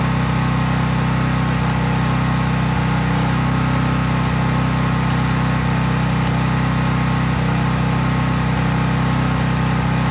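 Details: Craftsman 5000 watt generator after cold start, running unloaded: steady, even drone with a smooth low beat holding constant; normal idle, no load.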